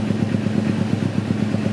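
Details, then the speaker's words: 2009 Kawasaki Ninja 250R carburetted, just serviced, at idle: even steady idle with no ticking or rattle from top end; engine smooth, valves and cam chain tensioner quiet, like new. "Suara mesinnya halus. Valve-nya, tensionernya, bisa halus ini. Ini kayak baru ini."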